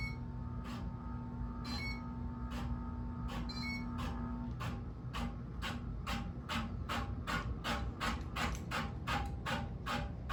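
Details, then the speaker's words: Homestead Geneva ceiling fan, about 52 inch, bought used and untested for years, on first speed in reverse: sharp repeated scrapes, about one then three a second, over low motor hum; something rubbing. "all right let's put it on the first speed and reverse it which wait does that even work still scraping the thing"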